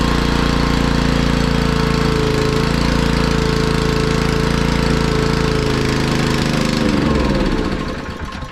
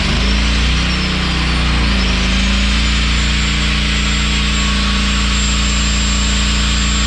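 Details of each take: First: Honda EG1900X generator with Honda GX140 engine, stored over 10 years, fuel left on with stale fuel, before carb cleaning: chugs unevenly about four beats a second then winds down; runs only on choke, rough running. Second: Honda EG1900X generator with GX140 petrol engine, stored over 10 years, after a fuel tank clean, ultrasonic carb cleaning and oil change: steady, even drone at governed speed, about 52 Hz unloaded and 50.2 Hz loaded, running normally.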